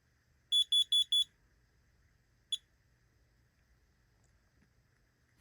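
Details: Basement smoke detector pressed to test; four loud, shrill beeps in a quick row then one lone beep in a quiet room; test alarm sounds normally, detector working.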